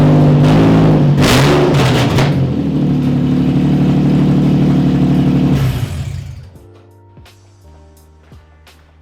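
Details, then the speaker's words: Nissan 350Z running open headers with no exhaust fitted: loud, raw, raspy, completely unmuffled drone with a fast even pulse before shutdown. "I got to show you guys how atrocious this sounds right now"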